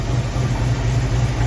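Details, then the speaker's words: 1965 Ford Mustang at idle after replacing an exhaust manifold stud: steady, even low rumble with no puffing or ticking; exhaust no longer leaks and sounds healthy. "now you can actually hear the exhaust all the back of the car doesn't sound too bad actually"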